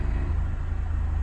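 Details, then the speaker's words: Honda EF Civic sedan at idle, microphone held near the engine, engine idling and responding fine: deep pulsing rumble with a steady throb and constant shaking; idle vibration rumble, cause not found. "and so after all that i still have this little shake oh you can see it but if you put the mic up you can hear it it's just vibrating away i don't know i don't know what that is it's idling fine"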